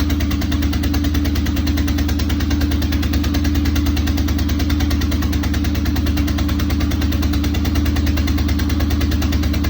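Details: Corvette with major exhaust leaks: a loud, steady idle with a deep pulsing puff at every firing stroke and no missed beats; the raw chuffing of a leaking exhaust, but it runs.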